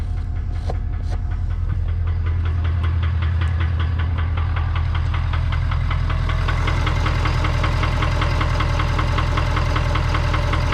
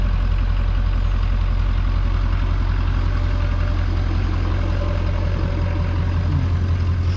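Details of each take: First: 2019 Ford F-250 King Ranch 6.7 Powerstroke V8 diesel, 117,000 miles: heavy steady low idle rumble with a regular knocking beat, engine knock later fixed by swapping in a junkyard 2017 6.7 engine. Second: 2019 Ford F-250 with junkyard 2017 6.7 Powerstroke diesel swapped in to cure a knock, freshly refilled with fluids, first start warming up: deep, even diesel rumble at idle with steady firing and no knock or rattle; normal healthy idle.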